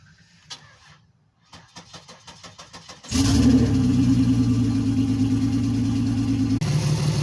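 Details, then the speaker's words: Turbo Venture van first start in months: slow cranking catches into a loud, uneven idle with a dead miss on cylinder 5, no injector pulse; fixed with a new wire from PCM pin 30. "man she's running like crap a dead Miss on number five"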